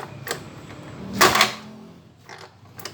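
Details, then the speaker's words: Yamaha Mio Soul scooter with a hard start: irregular sharp pops and coughs as it backfires through the carburetor and won't catch; carburetor is new, and compression and spark check normal, so ignition timing is suspected but not confirmed. "nembak-nembak kawan dia tidak mau hidup tapi dia nembak-nembak pembakaran gagal nembak balik"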